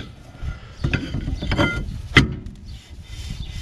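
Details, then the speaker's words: 1993-97 Toyota Corolla rear drum brakes, new drum and shoes, turned by hand during adjuster setting; soft scraping rub with scuffs as shoes barely touch; light shoe drag, adjustment still too loose. "Oh, okay. We have some friction, but still not enough. Gonna keep going a little more."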